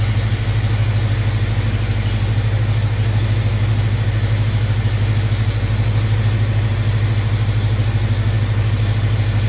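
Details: 1974 AMC Javelin V8 after oil leak fix and timing set, coolant line still leaking: deep, steady idle with even low beat, no misses or knocks; normal idle.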